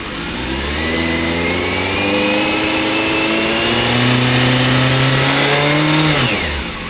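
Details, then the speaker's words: 2000 Yamaha Fazer 600 four-cylinder bike, light throttle blips: revs climb and fall back cleanly with no stumble, but hesitation at wide-open throttle; owner suspects fuel delivery fault, fuel pump or pump relay. "it more or less climbs and the rev's okay but if you need to whack it open for overtaking or just wide open throttle this is problem"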